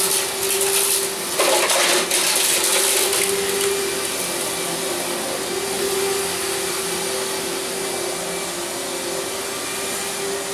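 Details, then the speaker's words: Bagged upright vacuum (Riccar 100, 10 amp): a loud steady motor roar with a hard drone and airy rush. The bag was not put on properly and came off, letting debris blow past it. "And I'm not liking that sound. Let's see the damage. That's not good. Oh yeah, we had a major problem. I didn't put the bag on very well."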